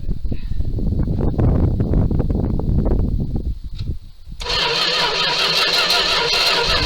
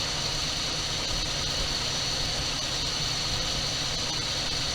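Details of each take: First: 1978 Dodge D200 crew cab with 318 V8, abandoned 17 years, on a known-good battery: the starter spins it at a steady, even rhythm in two long bursts, but it never fires; no spark at a test plug, distributor suspected. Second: 1978 Dodge D200 crew cab, 318 V8, abandoned 17 years and supposedly having a broken crankshaft, first run after priming carburetor with gas: steady even idle with smooth rumble, no knocks or clatter; runs well.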